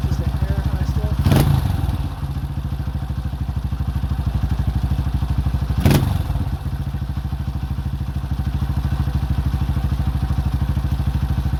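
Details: 2005 Honda CRF150F single, fixed by valve adjustment and carburetor tune-up after a no-start complaint, during carb adjustment: an even, steady thumping at fast idle with two brief throttle blips. It sounds clean and healthy.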